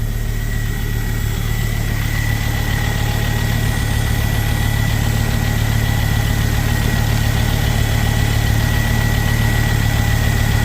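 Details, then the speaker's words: Ford Focus ST225 idle after oil filter housing replacement (failed breather seal): smooth, even low rumble, no ticking, knocking or stumbling; no leaks seen; normal idle. "can't see any leaks out of there so that all looks like that's all good that's just the airon pump clicking in and out"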